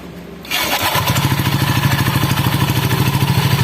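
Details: Honda Scoopy ESP scooter lacking power with weak, heavy acceleration; after start it settles into a rough, pulsing rattle about three times a second from the CVT side, traced to a damaged roller housing with a seized spacer needing replacement.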